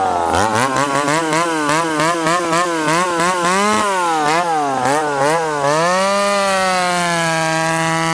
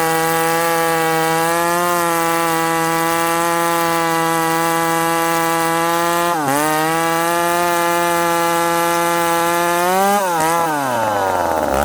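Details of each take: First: Ported 70cc McCulloch Super Pro 70 chainsaw (model stamping 171 or 181, likely 171), ported the previous winter, retested on fresh fuel: a wicked free rev whose pitch sags each time the bar is dogged into wood, then screams back up. It bogs under load, cause not confirmed. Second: Ported McCulloch Super Pro 70 (70cc two-stroke chainsaw, possibly model 171), freshly fueled: steady high screaming revs, then pulling down under load and recovering; strong healthy high-rpm running.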